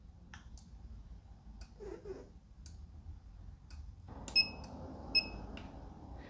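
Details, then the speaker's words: SigmaProbe circuit tester, ground clip on one headlight post, probe tip on the other, up button held for pulse mode: faint sharp ticks about once a second in a quiet room; tester pulsing power as intended. "so i'm going to make sure this probe tip is on the other post hold the up button and it's going to activate the pulse"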